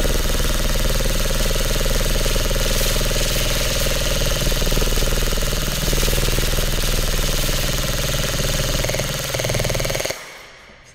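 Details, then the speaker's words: Lancer Tactical Gen 3 airsoft gun in a full-auto torture test: steady, rapid bursts of shots with no grinding or stutter. The gearbox is cycling cleanly and still sounds healthy, though the motor grip is starting to heat up a bit. "sounds healthy. The motor grip is starting to heat up a bit, but nothing too stand out."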